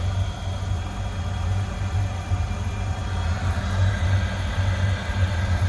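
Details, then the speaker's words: Oil boiler that keeps locking out and sooting up, first test after bleeding air from the pump with pump pressure a little low: steady roar over an uneven, fluttering rumble. Smoke test reads about 7, indicating poor combustion. "okay so first smoke test is not very good I'm going to go that's going to be about five or six maybe even a seven yeah it's about seven so it's not very good at all"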